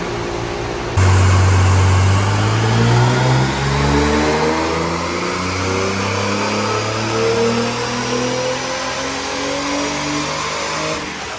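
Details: Nissan 300ZX (Z32) on the dyno with Haltech ECU: engine pulls hard with rising revs while an odd extra drone and vibration ride along under load, heard from up above; source not pinned down, abnormal noise under load.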